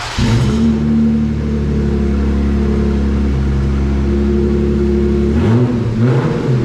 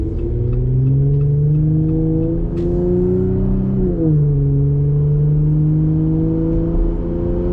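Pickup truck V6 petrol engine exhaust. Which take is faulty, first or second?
first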